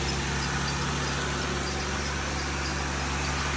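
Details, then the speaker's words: 2020 Jeep Gladiator idling after rocker arm repair for a top-end tick, valve cover still off; steady smooth low hum, no valvetrain tapping. Belt noise normally fades after idling; owner suspects slight water pump drip. Normal idle. "We let it sit here and idle for a little bit and then um our belt normally goes away."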